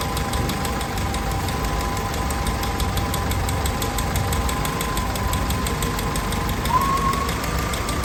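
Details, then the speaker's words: Willys Jeep CJ L134, fully rebuilt engine with rebuilt Carter WO carburetor, cold start idle; fast light ticking over a steady engine note; valve tick, owner says the valves need adjusting. "You'll also hear the engine. I need to adjust the valves. You'll hear that as the engine runs, but."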